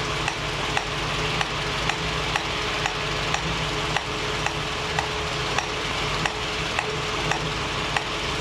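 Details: 1965 Mustang GT Convertible running after installing a Tuff Stuff 7068K 140 A alternator, fan on: a new steady sizzling hiss with faint ticks about twice a second, possibly from the carburetor; unexplained.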